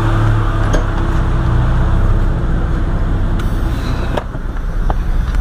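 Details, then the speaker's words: Jeep Cherokee XJ 4.0 after a throttle body adjustment fixing high, erratic idle: low, steady rumble at a settled speed with no surging, misses or knocks. Normal idle. "see how beautiful it is okay nice and civilized hidden Idol was shaken up nice and stabilized just by adjusting myths"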